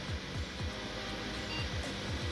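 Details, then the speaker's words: Dusty, greasy thrift-store Sony Vaio PC, first power-on before cleaning: steady loud rushing fan noise from power-on with a faint repeating whoosh, much louder than it should be; it beeps and posts. "So let's see if it powers up. Oh. She's a loud"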